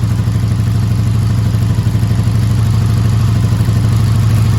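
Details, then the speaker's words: 1984 Honda V65 Sabre VF1100S, cold start after sitting outside a couple of months: low, even idle with a light clatter of about three ticks a second, getting quieter as oil works up. Valve tap on cold start. "I don't remember a valve tap come on oil get worked up"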